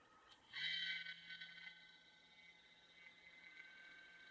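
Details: MSI GE60 laptop after three years of use: the cooling fan kicks in with a loud buzz and high whine, then settles into a steady buzzing drone; failed fan, later fixed with a new one.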